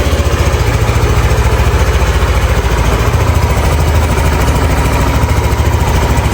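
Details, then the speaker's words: Yamaha NMAX V2 scooter, 2 years old, 19,000 km, after magneto and stator cleaning: even, steady low putter at idle with no rattle or scraping from the magneto side; the earlier noise is gone. "So tama ako mga boss, yung ingay na naririnig ko noon ngayon nawala na. So okay na okay guys, sakto."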